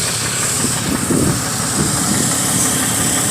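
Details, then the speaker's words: Vehicle with a suspected bad head gasket and no heat, codes for level sensor, MAP sensor and oil pressure circuits: uneven lumpy idle with irregular stumbles over a hissy background; rough idle. "it definitely sounds like it's running a rough"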